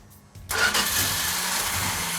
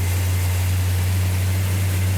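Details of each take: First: 1969 Plymouth GTX, first cold start attempt; the starter spins the engine at a steady crank with no firing because there is no fuel in it yet, cranking to let fuel build. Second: 1969 Plymouth GTX V8, cold start after ignition distributor setup, choke held, no priming fuel: deep even rumble, steady beat, no knocks or misses; running healthy.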